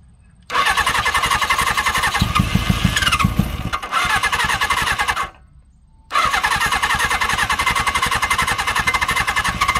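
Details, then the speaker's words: Suzuki GS750 (stated as 1983 or 1977), seized and unrun for about 41 years, hot-wired with no fuel supply and only carburetor cleaner sprayed in: it catches, runs ragged a few seconds, drops out and refires unevenly. Brief first start after long storage. "well fires it wanted to go but I don't have no fuel to it so I just got the carburetor cleaner that I sprayed in it and that's how that's actually kind of the first start right there"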